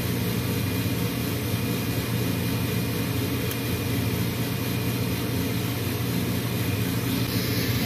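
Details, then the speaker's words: Furnace on a heat call after an error code and reverse-polarity supply fix. A steady, even low hum rises and holds with no rattle or scrape. Inducer motor starts and runs normally, before the igniter click. "my inducer motor just kicked in next you'll hear a slight click"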